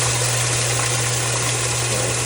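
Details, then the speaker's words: Washing machine that had no hot or cold water fill, tested after replacing the WATTS box. A strong, steady hiss of water over a low hum shows full, even fill flow at proper pressure: healthy. "This is a more ideal pressure for that water. And yeah, this is running a lot better."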